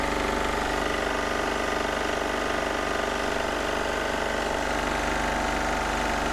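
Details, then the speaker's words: Onan MEP-016B 3 kW single-cylinder military diesel generator, revived from barn storage without injection pump work, started outdoors to warm up: steady even clatter about two and a half beats per second; healthy normal diesel idle. "we're just gonna start it up real quick and let it run and warm up so see how quick it starts good"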